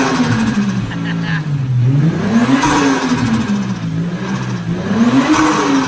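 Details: Toyota Mark II JZX110 with JZGTE turbo inline-six after crank pulley replacement; revs rise and fall cleanly with quick fluttering chatter on throttle lift-off, the normal famous JZGTE turbo flutter.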